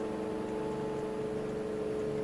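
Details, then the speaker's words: Fan slowed from high by BN-LINK plug-in variable fan speed controller (4.8 A, 600 W, for brushed motors); running much slower and quieter with weaker airflow; soft steady airy hum, faint even tone, no wobble or rattle. "it's running much slower and quieter of course we'll send it down a little further and now the air flow is a lot weaker"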